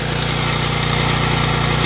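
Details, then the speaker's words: Small generator with a bad carburetor, converted to run on pure propane, choke open and never needed: steady, even mid-pitched drone with a fast smooth firing beat, no misses or surging; started immediately and runs smoothly. "As you can also tell, it runs pretty smooth. You can also notice I never had to put the choke on either. It started up immediately."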